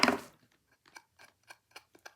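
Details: Brunswick phonograph reproducer, 78 RPM side, being rebuilt with gasket and ring like a Columbia, two screws still missing: one sharp knock then light crisp taps ringing cleanly, no buzz or rattle; healthy tap response.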